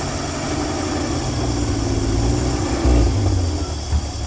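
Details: 1965 Dream van V8 settles into steady low idle rumble with even beat, no knocks or misses, after wiring short repair, horn relay replacement and earlier oil pressure line failure; runs cleanly, no leaks.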